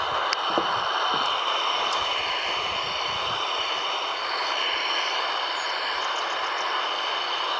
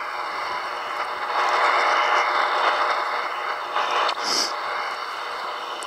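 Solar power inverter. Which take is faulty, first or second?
second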